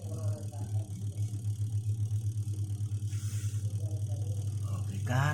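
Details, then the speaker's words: Twin-tub washing machine spin-dryer motor after replacing the spin capacitor (original 10uF; replacements 10–12uF 450V) that left the dryer not spinning: deep steady hum with even, fast pulsing as the drum spins strongly; runs normally. "kan, putarannya mantap kan?"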